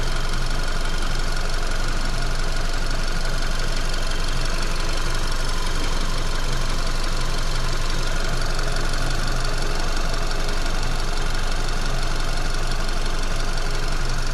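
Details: VW Golf Mk5 with 50,000 km after a shop fuel filter change: steady engine hum around 1500 rpm with a fast, even rattle from inside the right side, caused by the fuel line rattling against the body frame; fixed with zip ties.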